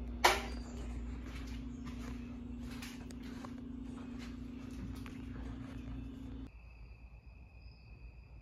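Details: 52-inch Harbor Breeze Lakeside II ceiling fan in polished brass, before restoration: a cracked, slightly melted bad capacitor leaves it running only on low on all three speeds. Loud steady low hum under clicking stops when switched off around six seconds.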